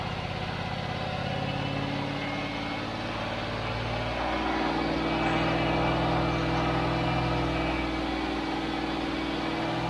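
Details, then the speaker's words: Range Rover (Lincoln Green) first start, freshly serviced ignition, fed from a jerry can not the tank, no alternator output: steady, fairly even idle lifting slightly, runs only on choke; owner judges mixture too lean. "right so let me wait it's gonna have to run with the choke on it's obviously running so lean that it can't run without the choke"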